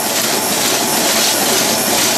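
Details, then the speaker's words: 1930s antique horse-racing payout slot machine running mechanism: loud metallic clatter with a wavering rhythm, as an out-of-line welded or brazed wheel wobbles and fishtails with a slack, hanging chain. "That's a pretty bad warble. So, you saw that thing fishtailing back and forth."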